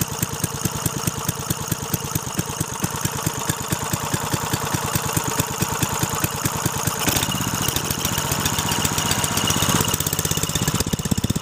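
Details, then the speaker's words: Briggs & Stratton 3.5 hp single, likely little-used, after carburettor clean: even, quick popping beat at steady speed, no misses or knocks; runs cleanly. "look get all Briggs & Stratton light it's Mikey she runs awesome"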